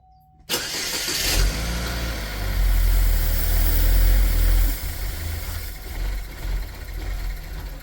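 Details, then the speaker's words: 2010 Chevy Equinox, about 112K miles, oil-burning with heavy blow-by, started during Seafoam ring cleaning with air intake off: catches after short crank, revs up strong, then idle sags and surges unevenly; owner suspects missing airflow reading. "well she starts I think she's causing herself an issue because it doesn't feel any airflow"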